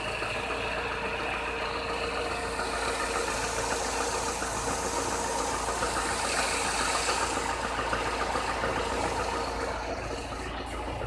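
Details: Chevrolet Niva at 45,000 km, idling with a light, uneven metallic knock ticking over the engine note, getting clearly worse since under 30,000 km; cylinder head replaced under warranty early 2017, bottom-end complaints dismissed; source unknown.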